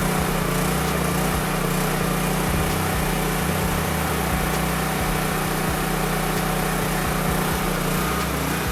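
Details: Honda EB3500 generator brought back to life, refueled and started the next night; steady even drone with constant low hum, no misses or knocks: normal running.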